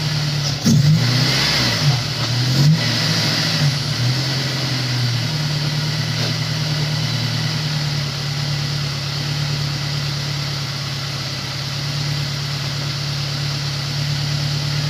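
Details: Honda S2000 after replacing the melted number-one coil pack; engine blips up a couple of times, then settles into a smooth, steady idle, no stumble or misfire; car sounds normal now; normal idle.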